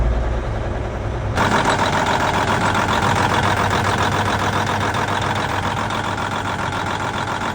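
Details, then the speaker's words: Versatile 2360 tractor, Cummins N14 diesel rated 360 hp, heard from inside the cab at idle with belts squealing; uneven, lumpy beat about four pulses a second, cab shaking; rough idle, suspected sticking or faulty injector. "It feels pretty rough in here in the cab. You can see everything is kind of shaking around."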